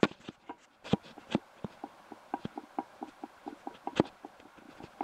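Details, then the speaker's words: BSA A65 engine, drive-side main bearing on the crankshaft, shaft rocked by hand: sharp light clicks about four a second as the bearing inner race moves up and down on the main shaft instead of being a tight fit. "the inner race actually playing up and down on the main shaft there should actually be fairly tight fit on that shaft that's it moving up and down and making that noise"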